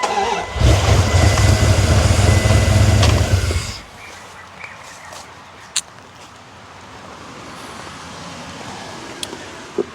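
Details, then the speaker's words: Older Dodge Ram cranks fast and steady, about four beats a second, never catching, at top dead center check; mechanic suspects the distributor or rotor wasn't seated correctly, which proved to be the cause. "Was it all that he just didn't have the distributor put down, or the rotor put down in the right way? It's pretty damn possible."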